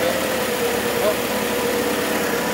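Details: 1978 Mitsubishi Colt Sapporo RWD coupe, started after sitting since 1993, running off choke without fuel or air filter: steady, even idle with no stumble, hunting or shake; normal healthy idle.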